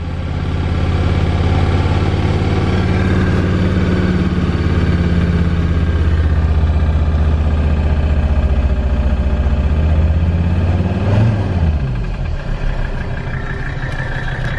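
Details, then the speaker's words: Mercedes diesel after an overdose of Seafoam in the fuel tank and oil: steady, fairly smooth idle with faint top-end ticking still audible; valve tapping much reduced from before but still present. "before you could really hear the valves tapping especially when I would read it I mean you can hear them still but nothing like it was"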